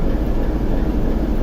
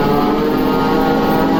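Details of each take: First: TEP70 0237 V16 locomotive diesel idling at first start after repair, not yet warmed, run 2-3 minutes, compressor off: deep, even rumble, smooth steady beat, no knocks or rattles, almost no smoke; normal idle. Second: TEP70 0237 V16 locomotive diesel, first start after repair: steady droning run pulsing about four times a second, fading and dying after nine seconds; hard start because the governor was empty of oil, start retried.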